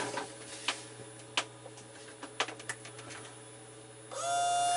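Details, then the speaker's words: Sailboat water pump tested with collected rainwater: a few clicks, then a thin, steady whir with no gurgle; the pump is rotating while its red plastic housing is full of air, so it has lost prime. "that's the sound of the pump rotating in its housing but the pump itself the plastic the red plastic housing is actually full of air"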